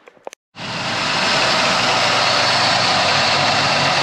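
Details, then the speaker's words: 1989 Ford Thunderbird SC, first start after installing a high-output Brand X alternator with a smaller pulley and belt. Engine catches after a few clicks and settles into a steady, even run, no squeal, rattle or misfire, no battery light; normal. "right guys cars running no issues no sparks no fire which is good"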